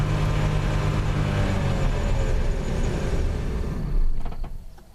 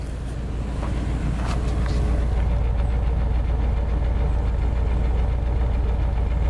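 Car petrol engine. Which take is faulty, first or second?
first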